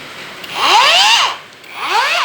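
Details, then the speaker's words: Hujia cordless brushless angle grinder, run with no load on a new battery after insulating peeled wires. Two quick spin-ups, each a clean whine rising and falling, free and light with no grinding. Normal run, lighter than before, and the motor stays cool. "suaranya berbeda. Dan bunyinya jauh lebih ringan daripada saat pertama kali saya membongkarnya."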